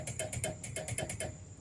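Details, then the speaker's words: 1st-gen RHD JDM Honda HR-V: horn relay clicking quickly, about eight a second, when the horn button is pressed, with no horn tone; the horn is missing from the radiator support, leaving a loose wire; a new horn is installed. "So when I press this, I can hear something clicking. HRV, there's only a horn relay, not a horn fuse. And it's this relay here, which controls the horn."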